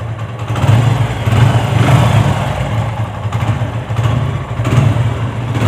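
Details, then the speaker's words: TVS Apache single-cylinder after an engine rebuild to cure a previous "bad-bad" knocking noise: even, steady low thump at idle, no knocking or clatter. Normal idle, problem solved. "अच्छा ठीक है भाई यह काफी अच्छी sound हो गई अब"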